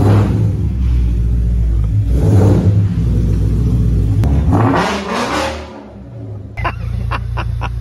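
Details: Honda Civic FK8 Type R race car after GCG turbo upgrade install (560 hp, track-only): deep rev that climbs and falls back cleanly with no knocks, rattles or misses; normal revving.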